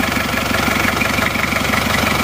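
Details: Isuzu Panther 2.3 diesel, 7 years after liner rebuild: even, steady idle clatter with regular firing beat, no knocks or misses; very little exhaust smoke, engine healthy.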